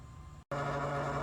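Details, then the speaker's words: 2012 Chevy Volt with new aftermarket LED headlight bulbs: a quiet, steady low buzz with a slightly rattly edge from one bulb's cooling fan; suspected quality defect. "the fan is running and you can touch the little fan blade and feel it's turning i'm touching it so that's running and this is the noise you're getting from it"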